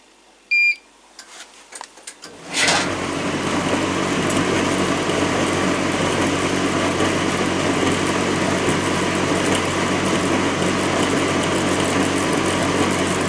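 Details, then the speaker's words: Machine No.80 under test, whose plug and hose had been chopped off, with the plug rewired on. A few beeps, then a loud steady rushing drone with uneven churning underneath; running rough as already expected. "Yeah, sounds rough, but we knew that anyway."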